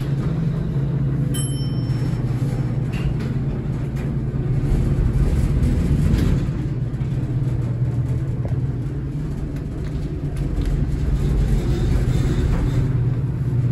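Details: Horizon hydraulic elevator at Rye City Hall, Rye, NY, installed 1964: loud, steady low rumble with some clatter throughout the run, a very noisy and shaky ride.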